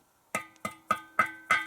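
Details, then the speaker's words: Pressure tank on a jet-pump well system: five hand taps, each a short dull thump with brief ring, no hollow echo, meaning the tank is waterlogged and needs replacing. "the tank a little tap, and you'll hear like a thumping sound, and that means that the tank is waterlogged."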